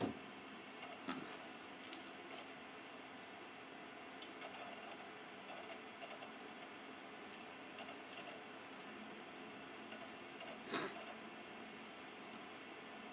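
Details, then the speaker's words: Older Xbox 360 Pro console compared with the Slim for noise: a steady, loud, airy fan whoosh with a faint disc drive hum and a couple of clicks, fairly loud and then it stops. Running normally but noisy. "you hear that very well but it's fairly loud then it stops"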